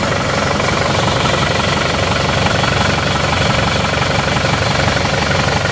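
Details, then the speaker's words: Isuzu D-Max diesel after nozzle repair, manifold refitted, cold engine in the morning, idle about 750 rpm; steady even clatter, no misses, hunting or shaking; normal idle. "Oke hasilnya seperti ini sudah normal ini seperti biasa mesin yang normal tidak goyang-goyang hidupnya rata"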